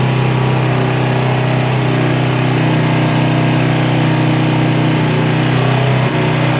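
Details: Yamaha Vega R motorcycle after carburetor service for a carburetor complaint, carb reinstalled: even, steady single-cylinder putter with no stumbling or hunting; engine now normal idle.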